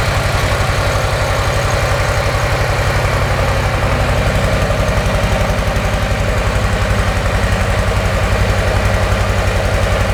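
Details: Brand-new 2024 Harley-Davidson Softail Low Rider S V-twin on stock exhaust, before TAB Performance 2.25" install: steady, even low thumping idle with regular loping beat, no ticking or knocking; owner says it's quiet when lane splitting; normal idle.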